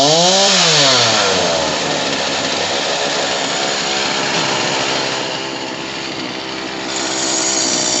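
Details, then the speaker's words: Homelite 3514C chainsaw during carburetor adjustment, after raising the idle screw a full turn: engine blips up then holds a high, buzzy pitch, revving high and slowly coming back down; idle set too high, later turned back counterclockwise. "I ended up having to go because the idle brought it up too much, and it still was. It would rev high and then slowly come back down."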